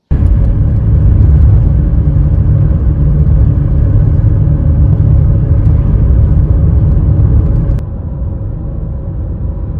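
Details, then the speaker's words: 2005 Nissan Elgrand 3.5 2WD, cabin recording on road after replacing front wheel bearings and brake pads: steady low road rumble, previous droning gone, no growl rising with speed; front bearings now quiet. "well i'm very pleased to report that after putting this back together and running it around on the road the noises the droning has gone"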